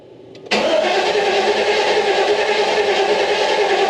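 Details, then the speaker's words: 1990 GMC Sierra OBS abandoned project, on a jump pack after oil pan change: steady fast starter cranking that never catches; fuel pump heard but fuel gauge shows empty tank, no fuel, one gallon added next. "But we'll go one more shot and then we'll go ahead and uh maybe I'll try and add some fuel. I'll throw some fuel in there and see what happens."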